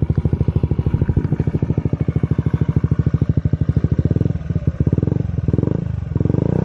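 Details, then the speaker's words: 2022 Honda Ruckus single-cylinder scooter after TRS 9.5" stretch and stage 2 performance kit: steady even thumping settling to smooth idle, slight gurgle from decompression tube breathing; sounds and runs good, normal idle. "so that's the bike completed sounds good running good"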